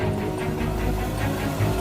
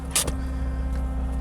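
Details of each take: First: 1984 Isuzu Impulse barn find, first start in about 30 years after fixing a kinked fuel line: cranks about two seconds, catches and settles into a steady rev without sputtering; normal healthy engine start. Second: 1984 Isuzu Impulse barn find, just revived with tank components reinstalled and first drive onto trailer: loud steady high whine over idle; owner suspects the fuel pump screaming, unconfirmed.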